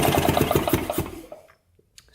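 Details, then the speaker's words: 1970 Harley-Davidson two-stroke golf cart engine, sitting 40 years, cranking with spark plug out: even chuffing pulses about six a second, then coasting to a stop; turns over freely with good spark. "now it's not turning over there we go oh that sounds good see we've got spark here now we're fast enough at least oh yeah good spark"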